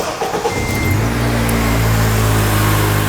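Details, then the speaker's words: 2004 Honda Element with K-series engine after replacing the screeching serpentine belt tensioner: steady, even idle with a smooth low hum and no squeal or chirp; it's quiet now. "It's all quiet now."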